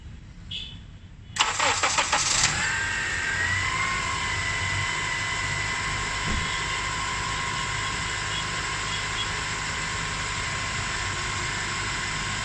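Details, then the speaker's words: 2003–2007 Honda Accord 2.4L after serpentine belt replacement: a few seconds of cranking, then steady, even idle with no squeal or chirp; belt noise gone. "So, and as you can see, that sound is not there anymore."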